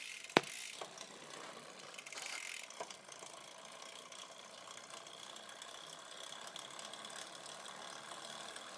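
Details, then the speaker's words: Campagnolo 11-speed bicycle drivetrain spins in the worst rear gear with a fine continuous buzzing rattle and light ticking; the front derailleur guide isn't touching the chain, the buzz comes from the rear, with hard vibration felt through the pedal. "so the the front derailer guide is not touching in this gear so he's not you know pushing the chain in a position that he's not supposed to be in and here we are just buzzing like mad back"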